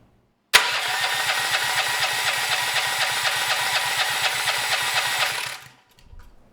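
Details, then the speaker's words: Honda GX390 engine with a Honda-clone generator end cover, no exhaust fitted before, governor spring tension removed; electric starter cranks at about two compressions a second for five seconds but it never fires, choke opened by cranking suspected. "yeah and we get nothing let me manually choke it cuz just cranking the engine actually opened that choke a bit"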